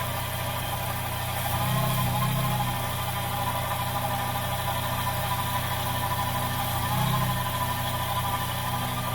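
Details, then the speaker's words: Petrol K24A2 engine in a 2004-2008 Acura TSX idling unevenly, surging every few seconds with a quick sucking sound; ignition timing drops to about -2 during each surge; intake vacuum leak, fixed by replacing manifold gaskets. "i was having another issue uh which is which was a vacuum leak you could hear the motor have you can hear the vacuum leak actually and it would be more of like a a like a quick"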